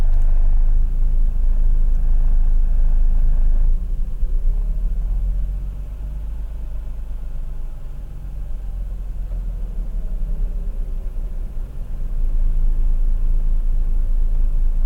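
Low rotary idle that keeps surging and sagging in loudness over several seconds instead of holding an even note; rough, unstable idle.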